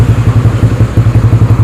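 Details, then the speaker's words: Yamaha Spark 135 carbureted single-cylinder motorcycle after repair (new carb needle, choke cable, modified gearbox/clutch), kick-started, fitted with Espada exhaust; steady even thump, not loud, no misfire or clatter, normal idle. "ก็เป็นท่อของespadaชุดแรกว่าเจ้าของก็จะให้เอาของR15ตัวนี้ใส่ตั้งแต่ฟังดูแล้วว่าเออเสียงไม่ดังมากมายตุ๊บๆนิดหน่อยครับ"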